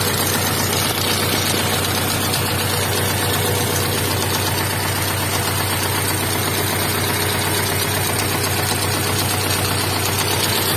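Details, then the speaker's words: Honda Integra DB8 Type R at cold start, where VTEC has also stopped working: an uneven tapping knock about four per second over a busy engine note. The owner is unsure if it comes from the head or the block and suspects oil not yet reaching the head. "and also i hear a strange noise in the head i don't know if it's in the head or in the block i don't know but it sounds like a knocking noise especially when i start it up"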